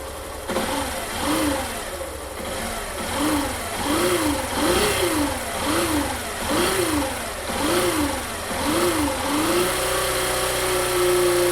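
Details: 2019 Factor 150 motorcycle engine blipped roughly once a second, buzzing whine rising and falling with revs then settling at idle; the buzz traced to a faulty stator and resolved.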